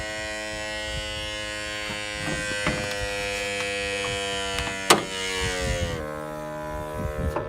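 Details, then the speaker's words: 2012 Ford F-350 6.7L diesel, engine off after shutdown: steady buzzing whir like a small air compressor, lasting about 40 seconds then stopping; failing wastegate vacuum solenoid module under the EGR crossover, fixed by replacing the solenoid. "so we're here to address a sound that we've been getting out of our Ford f-350 2012 model this kind of sounds like an air compressor Ronald"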